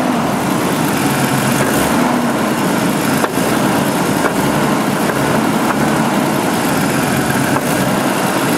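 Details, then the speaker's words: 1988 Jeep 4.0 Renix at idle, with good oil pressure. A rough, loud idle with a dull knock each rotation, a bit stronger toward the rear. Owner says it's not rod knock, suspects piston slap, and will check for loose flex plate bolts; cause unconfirmed. "So anyway, I'll take off the flex plate and all that, and, you know, check for loose flex plate bolts and stuff, but it's not a rod knock. I've had too many."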